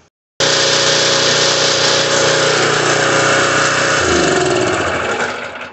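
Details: Generac 196cc pressure washer engine after carburetor repair, fuel-diluted oil replaced with fresh oil, run briefly without water; catches at once and runs steady even buzz, then winds down at shutoff; running normally.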